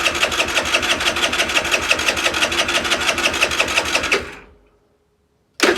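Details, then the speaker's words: Longjia 50cc two-stroke scooter, cleaned carb and sorted electrics, powered by a 12 V portable jump starter with no battery: fast, even starter churn about three beats a second for four seconds, then it cuts out; never catches, cranking but no start. "I don't think it'll start. I think it's something else wrong, but we'll give it a go."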